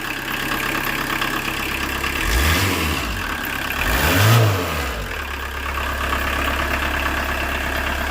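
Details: 1986 VW Jetta turbo diesel with very low compression, starting off the key: steady idle clatter, two short rev blips dropping cleanly back to an even idle; normal diesel idle.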